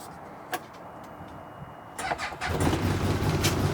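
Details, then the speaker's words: New 2023 CFMOTO UForce 1000 XL, after clearing check engine codes: short crank, fires immediately, runs slightly rough then smooths into a steady, even idle; normal cold start. "check engine lights out fired right up it's still kind of running rough it might clear up though yep it's smoothing right out I can hear it heck yeah"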